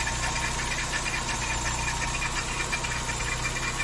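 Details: VW Saveiro G4 with AP 1.6 engine idling with the valve cover off; uneven light knocking about three per second over steady idle; owner suspects the timing belt or pulley, source unconfirmed.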